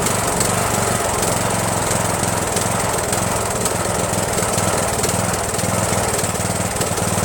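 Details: Rebuilt Briggs & Stratton 17.5HP engine in Yard Machines lawn tractor, after replacing carburetor solenoid with fabricated nut to unblock emulsion tube, no belt pulley: steady thump with lumpy firing and occasional harder pops; still rough, fuel mixture and throttle spring need work.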